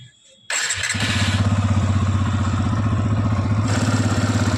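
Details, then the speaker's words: New TVS Apache RTR 160 FI BS6 motorcycle, about 5,000 km, single-cylinder starting and idling: a light, regular tik-tik tick over the thump from the engine, from excessive valve (tappet) clearance; tank to be removed to fix. "इसमें टिकटिक ट ट टिक करके आवाज आ रहा bike के अंदर से उस आवाज को मुझे खत्म करना है"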